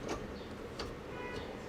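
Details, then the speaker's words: Speedfactory Racing detent springs newly installed in turbo Honda Civic B-series GSR transmission: a few crisp, well-spaced clicks as shifter drops into each gate, locking and holding tightly; firm detent engagement. "but i don't know if you guys can hear it but see how it locks it actually holds again they're really really tight"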